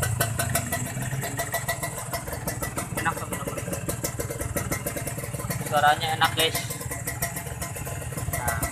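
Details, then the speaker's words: Kawasaki Ninja 150 R two-stroke just started after carburettor air-screw adjustment: fast, even crackling idle with a clean throttle blip that picks up and settles without bogging; normal idle and throttle response. "Nah, inilah suaranya teman-teman. Menurut kalian berebut nih guys? Kalau menurut saya nggak berebut ya teman-teman."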